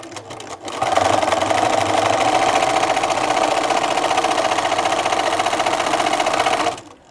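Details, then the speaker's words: Bernina sewing machine before oiling, microphone close to the machine: rapid clattering stitch rhythm about four per second with a harsh, rough rattle instead of a soft hum; the hook race is dry and needs oil. "so not not sounding very benina-like there at all quite noisy quite rough sounding"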